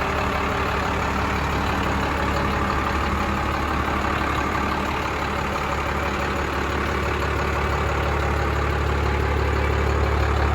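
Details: 1996 Dodge Ram 3500 dually 4x4 with a 5.9 Cummins 12-valve diesel, five-speed manual and 78k miles, just started: steady, even diesel clatter at idle with a deep smooth exhaust beat and no knocks or misses; healthy.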